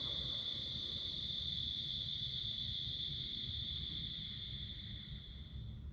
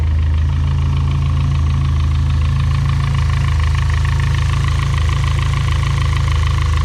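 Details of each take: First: Built turbocharged engine after shutdown, now on 5W-20 oil instead of 20W-50: thin high turbo whistle under a low rumble slowly ramps down over six seconds to a gradual stop, rather than the abrupt stop on thicker oil; normal spool-down. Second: Built turbocharged engine at idle: fast, even light ticking about four per second from the top end (head/cam area); suspected valvetrain tick.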